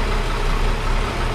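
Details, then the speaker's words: 1961 Ford Falcon Delivery after a round of repairs and an oil top-up: a deep, even idle with a steady rumble and no knocks, much better than before. It still needs a carb kit, vacuum tuning and ignition timing. "it still needs some tuning we're going to do the car car kit on it we still need to vacuum tune it and we need to do timing put the timing gun on it but it definitely sounds a heck of a lot better"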